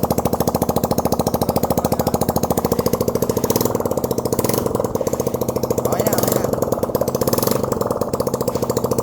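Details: Engine rebuilt after running without oil, after alignment and oil check: even, steady firing pulses about three and a half per second, no knocks or rattles; engine running normally.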